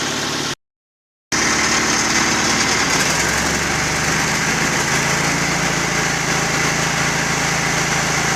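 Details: 1951 Ford 8N tractor four-cylinder, bought as scrap, idling just after first start using choke, following carburettor and distributor cleaning, a faulty distributor-cap lead and poor ground repaired: steady even idle about four beats a second, no misses or knocks; running fine.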